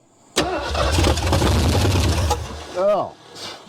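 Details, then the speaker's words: 1973 Ford Mustang Mach 1, 351 engine, sat over 15 years, cranked with throttle worked: rough uneven burst for about two seconds then dies; fires but won't keep running, needs more gas. "Oh, nasty stuff everywhere, but it fired, didn't it?"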